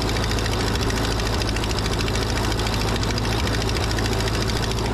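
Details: 80+ year old Ford 9N tractor after fitting a new coil: steady, even low four-cylinder rumble with no knocks, misses or surging; smoky as suspected critter nests burn out of exhaust, exhaust leak at cylinder four.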